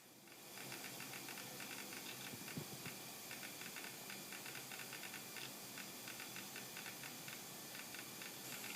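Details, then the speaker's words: Amiga 1200 (rev 1D.4) hard disk loading. Fast, irregular ticking and rattling over a steady hiss as the actuator arm seeks, which is normal drive noise. The picture instability is traced on the scope moving in sync with the seeks. "I mean, you can hear the hard disk loading, you can hear the rattle noise from the hard disk, and you can see the trace there on the scope moving back and forth as the hard disk is loading."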